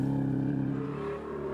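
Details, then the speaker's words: 1996 WRC rally car after deep water on a stage: it runs unevenly, stumbling and dropping out irregularly, misfiring from the start through the whole stage. "the engine sounds terrible. Straight after the start, misfire. All the stage was misfire."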